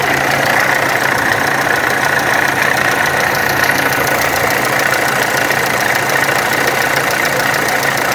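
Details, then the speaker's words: VW Amarok turbo diesel at idle: rough, uneven knock about two or three per second over a metallic clatter; camshaft and high-pressure pump timing were out, water pump bearing worn and leaking coolant. "ô galera aqui na maroka ela tava fora do ponto a polia de do comando aqui eu tive que colocar depois não deu certo nem a da bomba de alta também tava fora só lá embaixo tá agora Olha aqui já tá caindo água direto da bomba d'água"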